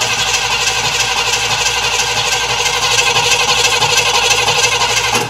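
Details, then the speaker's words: Cadillac Eldorado, cold start: steady starter cranking at about three turns a second that never catches or fires; owner believes it is flooded. "Cranking and cranking and cranking, so it's flooded."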